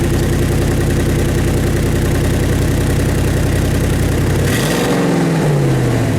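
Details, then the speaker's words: Truck with a MagnaFlow dual side-exit exhaust cracked at the muffler joint, started up: loud deep throbbing idle with a quick rev and rumbling as if straight from the headers, almost unmuffled; the muffler seal needs fixing. "so yeah from that last clip the exhaust is too loud right now it has that you know kind of like that rumbling like it you hear it coming right out of the headers which basically it is so it's it's too loud it needs to get quieted down"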